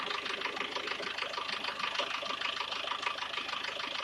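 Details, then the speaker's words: SsangYong Actyon engine at idle: light sharp ticking about twice a second over steady idle; unidentified foreign engine noise. "Посторонний звук в двигателе."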